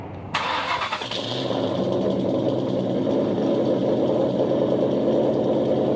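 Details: 2000 Ford Mustang GT 4.6 V8 started and idling: after a sharp start it settles into a loud, throaty, slightly lumpy idle with a very open exhaust; engine said to be stock, owner thinks it's straight piped.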